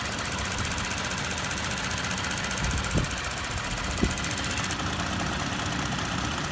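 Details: 2019 Toyota Tacoma TRD Off-Road 4x4 (3rd generation): steady idle with a fine, fast ticking riding over the engine; clicking of unknown cause.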